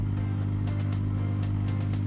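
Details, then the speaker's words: MSpa Alpine Delight inflatable whirlpool, filter pump and heater running, set to 40 °C: even low hum with steady pitch, no rattles or surges; normal operation. "You can hear it: it's humming here. The filter is running and the heating is running too."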